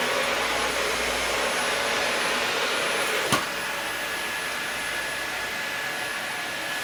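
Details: Dyson DC40 upright vacuum, presumably salvaged from a skip after sitting outside, first power-up: even, steady high-pitched motor roar with strong suction, no rattles or pitch drops; brushes and switch work, running properly.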